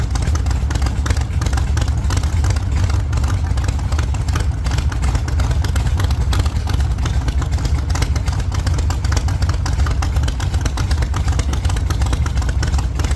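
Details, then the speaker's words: 1948 Chevy Fleetline small-block Chevy V8, 4-speed, after a fix for push rods breaking on the first burnouts: deep open-header V8 barks and pulls hard through repeated revs in a test burnout, no ticking or clatter, healthy. "Think she's doing good. She's sounding pretty good over here. So, I think that sounds pretty good."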